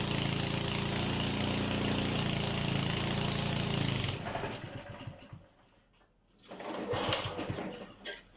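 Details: Honda HRD536 petrol lawnmower after replacing the drive clutch plate, started once the spark plug was refitted; steady even beat for about four seconds then handling noises, running normally. Owner notes turning clutch plates tends to make it try to stall.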